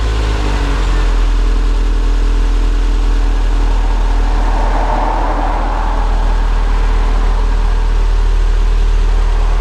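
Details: Toyota SW20 MR2 after repairing a catalytic converter exhaust leak: deep, steady engine rumble with smooth exhaust note and no ticking or puffing leak noise.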